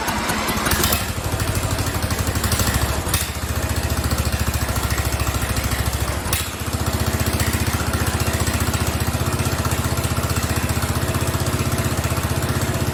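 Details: Free Craftsman riding mower 917.273760 after carburetor and fuel fix, loose pulley bolt and loose exhaust: loud low thumping single-cylinder beat that sags and stumbles before steadying, like a hit-and-miss engine; runs rough, cause not confirmed.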